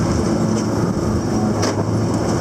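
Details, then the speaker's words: Hesston 4910 baler, recorded riding on the baler: heavy, steady mechanical drone with an even churn, no knocks, stalls or labouring; running smoothly and doing a much better job. "This is doing a much better job."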